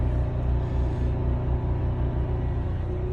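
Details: Cummins Onan 4000 RV generator, just started, main power light on, supplying RV power: steady even low rumble, no knocks, surging or misses; normal generator running under load.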